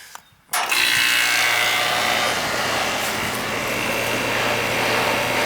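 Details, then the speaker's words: Air conditioning condenser unit during annual maintenance, restarted after a weak capacitor (should read 40) was replaced because it was acting weird; no more noise, steady even fan rush over low constant hum, no buzzing, running properly. "Alright, no more noise. That's good."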